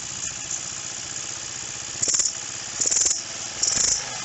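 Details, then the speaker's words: 150cc GY6-style Roketa scooter, while the carburetor mixture screw is turned the wrong way: three short rattly pops about a second apart over the idle, a backfire from a lean mixture. "you can hear how it backfired a little bit so we're definitely going the wrong way"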